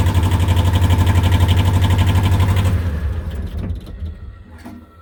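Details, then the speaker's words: 1973–77 Kubota B6000 4WD tractor, 2-cylinder ZL600 12.5 hp diesel, started right away after glow plugs, not run since yesterday: even steady chug, no knocks or misses, then fading wind-down of electric clutch slowing; healthy engine. "So as you can see, it runs pretty well. That sound you're hearing is the electric clutch slowing down."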